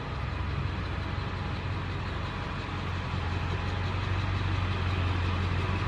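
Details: Dually diesel pickup at idle before straight-piping, with the long muffler still fitted; steady low rumble, even beat, no misses or knocks, muffled exhaust. It was still smoking a little the night before. Normal idle.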